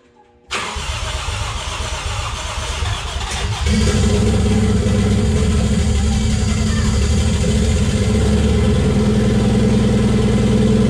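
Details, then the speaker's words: Toyota 1JZ swapped into a Datsun 280Z, unedited first start on a hand-built ECU base map: engine catches after a brief crank and settles into a fast, steady idle that climbs higher; kind of high idle, RPM unknown, owner killed it. "It was kind of high idle, but that's cool."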